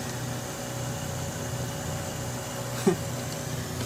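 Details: 2001 VW Cabrio 2.0L after fuel pump assembly replacement, idling just after first start: quiet, steady low hum, even unbroken tone, no misses or knocks; engine healthy, no leaks, fuel gauge working.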